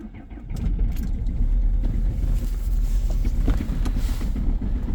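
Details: 2.0 HDi diesel with EGR off, extreme cold start at -22°C: long labored crank, then a rough, loud, strongly knocking catch and stumble into a ragged run; very hard cold start.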